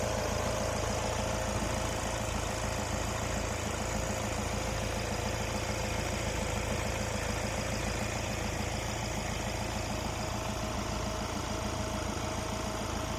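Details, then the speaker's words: 2022 Kia Carens Prestige diesel at normal idle after starting. It is an even, steady idle with a soft regular patter about three beats per second and no knocks or misses, a normal diesel idle. "तो normal starting में जो sound है वह इतना आपको सुनाई देता है लेकिन अगर हम रह करते हैं तो कितना क्या साउंड आपको सुनता है वह भी एक बार देख लेते हैं"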